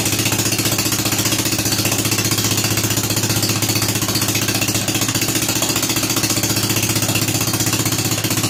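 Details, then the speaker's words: Rebuilt Kohler K241 single-cylinder in a John Deere 210 garden tractor after first start, before idle mixture adjustment: steady even putter with regular beat and no misses or knocks; running smoothly and healthy. "I don't what I look for in an idle mixture screws to turn it in say you hear the engine slow back it out till it comes back to speed and then about 1/4 to 1/2"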